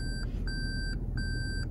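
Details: 2021 Toyota Prius hybrid reversing into a space under automatic park assist, driver only on the brake: clear high beeps about two per second over a quiet cabin hum. Normal parking sensor proximity warning.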